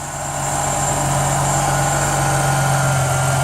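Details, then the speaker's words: Ford BA XR6 power steering just after rack replacement and fluid fill, on a hoist: steady idle with a smooth pump hum as the wheel swings lock to lock, no groaning or whining; steering working normally, wheel alignment still needed. "And we're on our hoist, so it's a fairly slippery surface. And I'm going to start it up and go left and right with it now. There we go."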